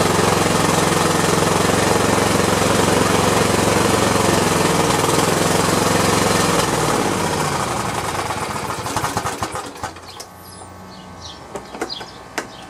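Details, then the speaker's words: Husqvarna small engine after a carb clean and new head gaskets, still smoking heavily and only starting with fuel pumped in. Runs with a rough, fast beat, then sputters and dies within seconds. Burning lots of oil; cause unknown. "replaced the head gaskets and man it is still smoking up big time and will not start unless i'm pumping fuel into it"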